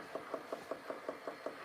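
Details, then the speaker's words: Santa pylon train-layout accessory: sharp, even clicks about five times a second over a faint motor hum. Disassembly showed the motor shaft bouncing back and forth, and the original never made this noise. Fix is either solving the shaft play or a new motor. "my original never made this noise this is the Santa pylon and uh I did take it apart what I found is the motor shaft is bouncing back and forth"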